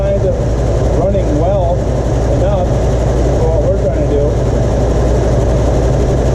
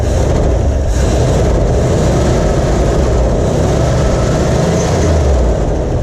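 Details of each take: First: 1977 Ford F-250 4x4 with 351 Cleveland V8, revived after long storage, running off a temporary gas tank with old fuel, throttle held by hand: deep, even rumble with steady beat, no misses or knocks; some smoke, but running smoothly. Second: 1977 Ford F-250 4x4 with 351 Cleveland V8, revived after long storage, idle screw being adjusted: a deep, uneven low rumble with no steady beat, running rough as old stale fuel is still being pulled through.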